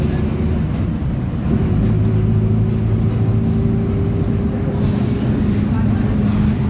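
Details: 2007 Torino bus, Mercedes-Benz OF 1722M chassis, diesel pulling under load at high revs: steady droning whine holding pitch underneath, from the rear end; suspected differential, not confirmed.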